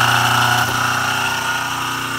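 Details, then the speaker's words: DIY rotary phase converter idler motor powering a Schaublin 53 milling machine: harsh buzzy growl until the bigger capacitor is engaged to feed the third leg, then smooths; rough running on missing phase. "so you can hear the uh motor the idler motor was really rough until I hit the button to engage the bigger capacitor to supply more power to the Third Leg of The Idler"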